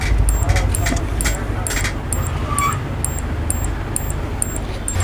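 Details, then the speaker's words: Brand-new LG ultra-slim flat CRT TV on power: sharp high ticks about twice a second over a low hum from the power supply, whose output voltage is dragged down; shorted output. "इसमें से एक टिक टिक टिक टिक की आवाज़ें आ रही है और problem ये हो रहा है कि इनकी जो पावर है पावर बैठ रही है, यानी कि पावर दब रही है।"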